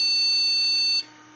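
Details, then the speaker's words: PC started with all RAM sticks removed: high, piercing BIOS beep runs steadily for a second then cuts off, indicating missing memory, with a matching code on a KQPI4 POST diagnostic card. "Allora, PC parte, sentiamo questo beep e il BIOS da solo che indica assenza della memoria RAM e vediamo anche il codice."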